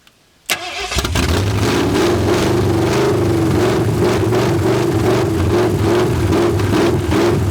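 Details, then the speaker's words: 1981 Mustang 5.0 V8 parked since 1996: steady cranking about three beats a second that never catches, fuel starvation because the mechanical fuel pump with dried diaphragms isn't pulling fuel; pump judged shot. "But if it has been sitting since like 96, like that guy said, the fuel pump could be dry. Might need a little bit. Well, it's been a few minutes. I determined the fuel pump was shot because it wasn't pulling fuel."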